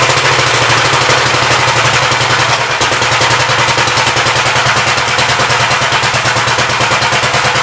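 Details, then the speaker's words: 1959 Gravely LI single-cylinder engine with 20-over piston, water had been found in the oil; quick even pops at steady fast idle, no knocks or misses, awesome oil pressure, running healthy. "I don't know if you guys did but yeah it runs and works pretty good it's got awesome oil pressure"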